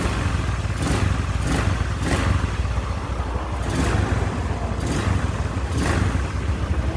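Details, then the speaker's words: Even low engine hum with gentle rises in speed and no knocking or rattle from a carbureted Honda Scoopy scooter after reassembly with new piston rings and cleaned, lapped valves; runs smooth and clean, normal idle. "Oke Guys sudah selesai perakitan mesin Honda Scoopy karburator ya alhamdulillah suaranya sudah halus dan bersih"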